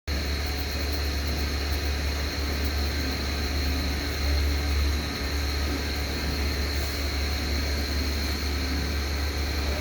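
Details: Airflow CE200 style 5 fan: a constant low rumble with a gritty whirr and no speed change comes from bad fan motor bearings, which the owner reckons are about to fail.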